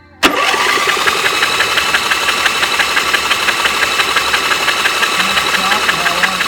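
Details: Engine cranked by the starter with spark plugs removed to prelube after an oil change (3 quarts 10W30 synthetic, oversized filter, cold oil), cranking for oil pressure; light steady whirring at about three even turns a second with no compression.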